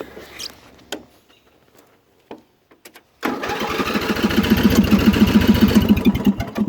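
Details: Older Craftsman hydrostatic riding mower, Briggs & Stratton 15.5 HP engine with new carburetor, fresh oil change and new battery, sat two years: catches and settles into an even, steady chug, running smoothly.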